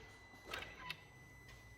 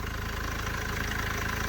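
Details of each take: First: Mercedes W212 diesel after timing chain job, fuel system primed, on jump pack: starter cranks at about three even beats a second for ten seconds with no firing; suspected airlock in the fuel system. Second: Mercedes W212 after timing chain job, cold start: fires promptly into steady idle with even, low clatter, no misses or knocks; starts and runs well.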